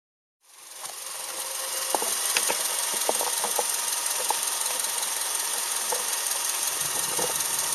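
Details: Subaru Outback EJ253 flat-four petrol with damaged engine, before rebuild: idle with irregular sharp knocks and rattles over a hissy, bright running noise.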